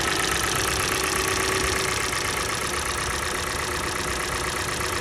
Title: Стук двигателя Kia Sportage G4NA. Холодная. Отключение катушек